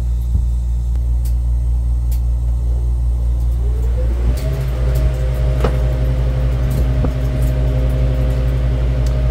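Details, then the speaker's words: Walk-in freezer evaporator after defrost, fans delayed until coil reaches about 20–30°: steady low hum, then fans spool up with a smoothly rising tone and hold even, no clunking, vibration or wobble; healthy fan motors. "all right evaporator fan motors are running no vibrations no wobbles that's a good sign"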